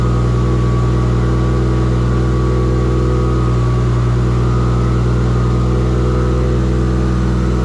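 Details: Engine's first start in a shop build using an LS alternator kit; steady, even note with smooth low hum, no knocks or misses. Earlier firing faults (gas pedal, swapped crank sensor signal) fixed; charging voltage too high. Normal running.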